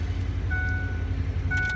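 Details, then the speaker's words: 2008 Ford F-150 STX after a no-start: starts right up and settles into a steady, smooth idle with no misses or knocks, confirming the fault; normal idle. "the starter will stay engaged for about 10 seconds until the truck starts that's just a normal thing okay truck starts right up"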